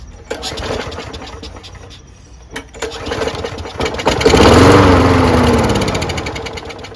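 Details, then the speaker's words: Lawnmower after winter storage, no air filter: weak pulls, then it fires on starting fluid, revs briefly and dies. It won't run on prime alone despite a working primer, so the carburetor is dirty and must come off. "All right, so it turns over with jism. It doesn't when you prime, even though I know the primer works, which means that the carburetor's dirty. So we're gonna have to remove the carburetor."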